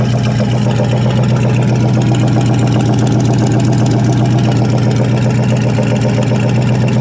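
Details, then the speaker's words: 1974 International 200 two-wheel-drive pickup, first runs after sitting about 25 years with a freed-up seized engine; loud, lumpy idle with a fast, uneven ticking of about 4/s, smoking. Owner suspects typical International lifter click from dry lifters. "So, sounds like typical international lifter click. But course, I'm of course I'm sure the old lifters are probably pretty dry after it's been sitting around so long."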